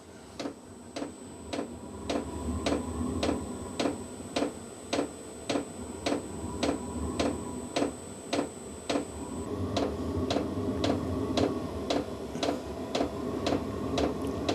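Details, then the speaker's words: New VEVOR diesel heater restarted after error 10 (oil circuit blockage check), nothing changed: steady fuel pump ticking about twice a second under a thin high whine that cuts out, then the fan rises as it lights, temperature rising 17 to 20 degrees; normal start-up. "It's trying to start. You can hear it trying to start. Okay, it's getting faster and faster."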